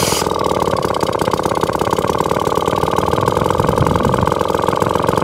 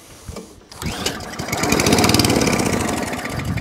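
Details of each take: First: Atco lawnmower with Villiers Mach 3 two-stroke engine, warm, kickstarted without choke: steady, even idle with a crisp regular firing beat, no misfires; running normally. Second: Atco Balmoral Allett 20-inch lawnmower, bought as spares/repairs, with starting spray down the plug hole: catches and fires in quick, uneven beats, running only briefly before dying; owner suspects a fuel delivery issue.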